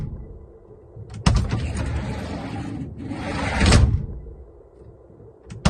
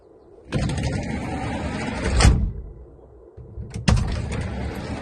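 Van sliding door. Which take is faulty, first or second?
first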